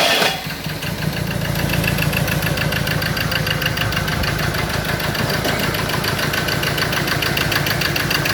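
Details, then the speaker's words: Ford Ranger diesel that would not start catches and settles into a rough, lumpy idle with uneven knocking, firing only on cylinders 3 and 4; 1 and 2 get no electrical pulse, wiring break or short suspected. "i did get it to start but i it only fired on two cylinder in on um four three and four two one and two is not firing"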